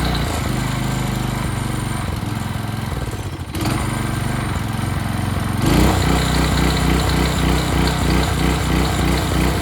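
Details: Early-to-mid-2000s Craftsman brush mower revived after sitting 3 years, carburetor cleaned, oil not yet changed: steady, even putter with a brief dip, then settles louder and smooth; runs great.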